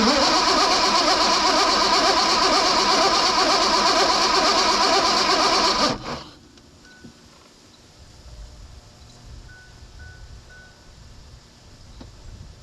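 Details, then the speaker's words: 2001 Mazda B3000 with LS swap, sitting 18 months: about six seconds of steady starter cranking that never fires; low fuel pressure suspected. "I nothing I don't think we're getting enough fuel pressure"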